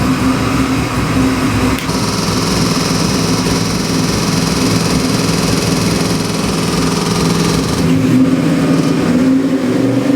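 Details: Chevy LS7 441ci crate V8 on dyno (Dart SHP block, forged Eagle rotating assembly, Comp custom cam, Holley Sniper EFI, Terminator X, ~700hp/650lb-ft): smooth even running, clean pull through revs, steady deep exhaust beat, no knocks.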